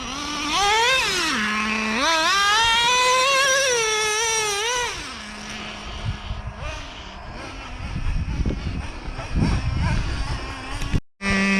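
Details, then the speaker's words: Brand-new Traxxas Revo 3.3 nitro engine after break-in, high-speed needle set a little leaner; the shrill note rises and falls cleanly with throttle, revving freely without bogging; running well with good temps. "look at that thing's moving"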